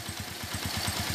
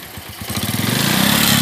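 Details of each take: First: Suzuki Shogun 125 RR during a major service, after a problem where it would not idle and kept dying: even single-cylinder putter at about eleven beats a second, now holding idle normally. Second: Suzuki Shogun 125 RR ("Robot") during major service, revving: engine surges up and down, loud and rattly at the top of each rev, with smoke; mechanic suspects piston noise rather than valves, and oil was found very low.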